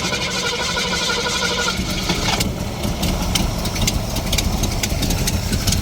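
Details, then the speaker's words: 1968 Ford Mustang restomod V8 with headers and carburetor, started by push button: lumpy idle with a sharp ticking puff. It is a slight exhaust leak on one side despite tightened bolts; owner suspects a loose bolt. "thund sounds good besides a slight exhaust leak on this side I don't know why cuz I just C all those bolts maybe one the bolts r l but it's running now"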